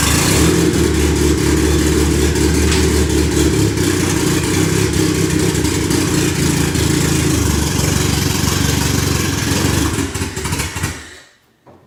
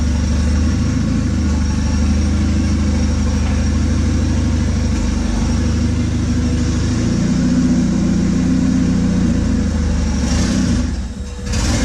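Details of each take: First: Freshly rebuilt turbo 1996 Honda Accord CD5; owner first suspected the tune, and vacuum leaks were checked. Engine drones unevenly on throttle, then dies out around eleven seconds; it won't stay idling. Stalling idle. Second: 1996 Honda Accord with turbo CD5 engine after full rebuild, earlier idle trouble and rich running, driven in cold weather on an unfinished tune: steady drone rising and falling smoothly with throttle, faint turbo spool on top; runs clean, normal running.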